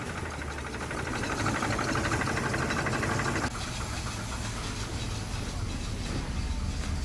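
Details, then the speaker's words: 1979 Pontiac Trans Am V8, sat in a garage since 1995, idling after revival: uneven lumpy beat with light ticking (valve noise noted), plenty of oil pressure, charging; runs a little rough, cause not confirmed. "so it's charging that's good she does run a little rough"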